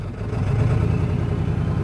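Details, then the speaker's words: 1997 Ford F-250 HD 7.3 diesel after glow plug replacement: rough uneven knocking idle, heavy shaking, shifter rattling, hard cranking; injectors 1 and 3 misfiring from a bent pin in the valve cover harness connector, fixed by replacing connectors and gaskets. "you'll have real bad shaking throughout the truck if you look at the shifter I'll try to hold that still it's rattling all over the place so yeah it just doesn't sound right"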